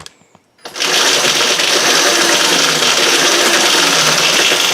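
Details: Yamaha WR250E converted to electric with EBMX X-9000 V2 controller, first fire-up after install, throttle applied with the bike unloaded: loud, bright, steady whirr comes in sharply and holds as the motor spins freely; normal, healthy run.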